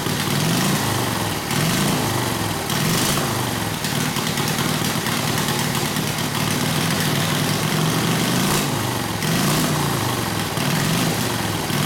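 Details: Harley WL 45ci flathead V-twin, no throttle, hot: loping, uneven idle, loose exhaust bark, about one slow pulse a second; rough idle, owner suspects front exhaust pipe rotated down and fell out; plans clamp and valve adjustment.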